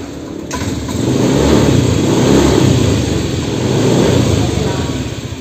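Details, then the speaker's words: Honda Beat Pop scooter that runs but won't hold idle, needing constant throttle or it dies: engine surges up and down on the throttle. Cause found to be a damaged spark plug cap. "kemudian setelah mesin hidup itu tidak bisa stasioner atau tidak bisa langsam message hidupkan tuh seperti ini teman-teman"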